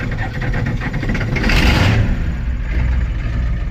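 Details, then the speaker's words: 1985 Ford F250 6.9 IDI diesel, manual, cold start with foot to floor; brief cranking then catches almost instantly with sharp bark, settling into rough heavy clatter and smoke; very fast start. "That started up extremely way too fast."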